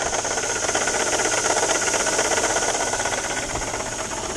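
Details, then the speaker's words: 2000 Volvo S70 2.4 five-cylinder turbo idling: loud, gritty grinding whir pulsing about four times a second from a worn alternator bearing; engine shut off to avoid overheating; power steering pump previously replaced, suspected misdiagnosis. "the bearing is shot on the alternator I'm gonna shut this off I don't want the engine getting hot the alternator bearing is going on this"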